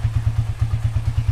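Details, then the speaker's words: Minerva R150 VX 2010 single, very cold engine, idling after PE 28 carburetor float adjustment that fixed hard starting from insufficient fuel: crisp, regular low thumps around nine a second, no stumbles or misses; clean healthy idle. "Kalau settingan go sebelumnya itu susah banget nyalainnya Karena bensin atau kurang kena sip Tengah Karena sekarang udah nyampenya tuh jadi udah nyala"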